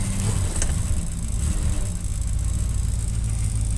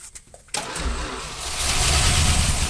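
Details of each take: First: 1967 Plymouth Fury, first start after sitting 42 years, started unexpectedly fast. A deep, steady rumble at a fast idle, no knocking or missing, with some smoke and a fuel leak: the engine runs normally. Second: 1967 Plymouth Fury barn find, sitting 42 years, on jump box with gasoline poured down the carburetor: brief cranking, catches within half a second and runs rough and uneven with a little smoke; first start after long storage.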